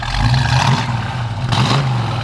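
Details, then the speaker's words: 1965 Ford Mustang, fresh rebuilt 289 V8 with 4-barrel carburetor and dual exhaust, heard out the back: deep even burble with two quick rev blips rising and falling cleanly, no misfire or rattle; normal exhaust note. "Like I said, with the dual exhaust, it sounds good too out the back. Got a little wrap to it, you know."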